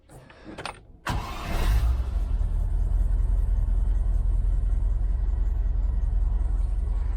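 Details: 1971 Range Rover restoration, during misfire diagnosis: the starter catches and the engine settles into a steady, even low idle that sounds better, though cylinder number one is still not firing.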